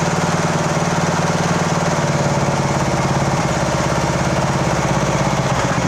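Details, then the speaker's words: 2014 Poulan riding mower, 14.5 hp, 38-inch cut (AYP-built), in for tune-up, oil change and valve adjust; even, rapid single-cylinder chatter at steady speed, no misses, surging or knocking after fuel filled the filter; runs good. "[Music] [Music] that runs good okay [Music] [Music]"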